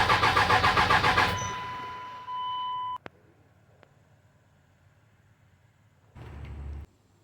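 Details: Dodge Ram 2500 5.9 L 24-valve Cummins diesel with codes P1689, P0237, P0230, P0177 stored, parts already replaced: even quick cranking about four beats a second, never fires; cranks but won't start.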